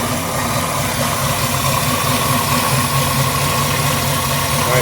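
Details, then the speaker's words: 1955 GMC truck Pontiac engine idling after intake manifold change, heard from front: even steady low rumble around 800 rpm, no knocks or misses, no exhaust leak, new fan belt; running smoothly. "Yeah, man. She started right up the first time. Pretty quiet out here in the front."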